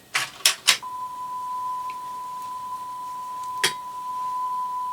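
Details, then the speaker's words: Sony TC-WR665 double cassette deck (early '90s) after pinch roller repair, playing a 1 kHz tone tape: clean steady tone without wavering or wow; sounds fairly good, though original recording quality unknown. "sounds fairly good cuz we don't know whether the original recording on the right deck was a a good one or not do we because of the imperfections in its pinch rollers"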